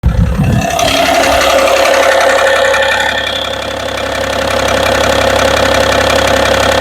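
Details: BMW engine at steady idle with a quick, regular tapping knock of about three per second riding over the engine note; idle knock, cause unknown.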